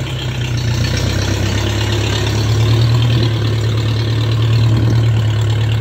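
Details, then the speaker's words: Vintage pulling tractor on regular pump gas with a loose belt to spare the water pump and generator bearings: a steady, even low thump at idle, about three beats a second, with no misses or knocks. Owner says it always ran good. Normal idle. "all right let's take this thing for a spin and see how she's running this thing always ran good really good"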